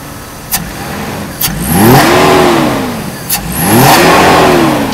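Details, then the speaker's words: 1991 Mercedes W124 300CE 24V after repair with a new air flow sensor, AC on: two crisp throttle blips that fall back cleanly on overrun while fuel pressure is checked; engine management within normal range. "This means the entire computer's operation is within normal range."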